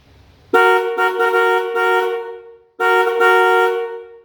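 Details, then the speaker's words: Lockjaw, newly installed and wired dual horns triggered by jumping the wire to ground: two clean blasts, about two seconds then one second, strong steady two-tone blare with no crackle or dropout; working properly. "dual horns always sound better than just one that sounded pretty good yes sir"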